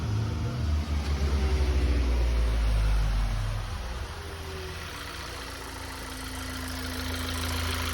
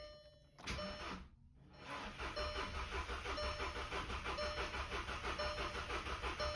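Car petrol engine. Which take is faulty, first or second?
second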